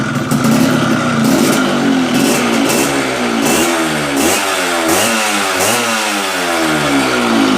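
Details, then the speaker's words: Yamaha Fiz R two-stroke after reed valve (membrane) repair, previously weak and sluggish on throttle; block porting said to be wrong so engine sounds rough: steady idle, several clean blips up and down without dying; normal idle and revving. "sudah bisa lamsam sudah bisa lamsam walaupun bunyi mesinnya kayak gitu karena meman sudah bagus"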